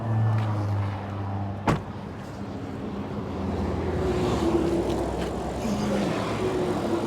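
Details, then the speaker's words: Audi RS7 rebuild driven to the paint shop: road and engine rumble with irregular rough scraping underneath; already-damaged bottom engine shield ripped loose, dangling and dragging on the road; no overheating. "this bottom engine Shield that's already been wrecked just kind of ripped off I guess or just started dangling hitting the floor"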